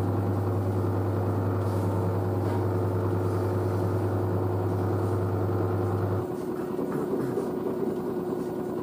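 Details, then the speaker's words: New washer dryer spinning at 600 rpm after a pre-spin: a steady low hum that eases into a quieter, even run with no knocking or grinding. The front panel flexes slightly but the machine stays stable. Normal spin cycle. "the front panel flexes a bit there but the actual machine is quite stable so so it's so quiet 600 rpm"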